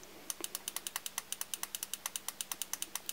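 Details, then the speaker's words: Petrol fuel injector bench-tested by pulsing its wire on and off a 12 V car battery: crisp, even clicks about eight or nine a second as the injector snaps open and shut cleanly; normal injector operation (a silent one would be faulty or need ultrasonic cleaning). "you'll be able to hear if the injector is opening and closing if the injector does not open or close or respond to this you either have a faulty injector or a very dirty injector that will need ultrasonic bath to have it freed up and working again"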